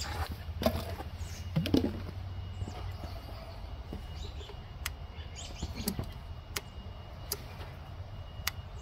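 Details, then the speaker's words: Kohler CV18S 624 cc V-twin on a Craftsman mower, key on after carburetor replacement: a few crisp, evenly spaced clicks about a second apart as the anti-backfire fuel shutoff solenoid opens and closes normally. "yeah it is I can hear it clicking open and closed"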